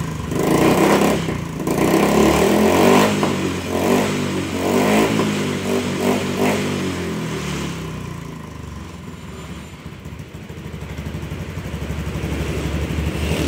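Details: Honda Beat scooter with intermittent hesitation, after installing and initializing a new ECU, showing error 7 from a cut throttle cable later replaced; engine picks up cleanly through quick blips and settles smoothly without stumble, normal revving.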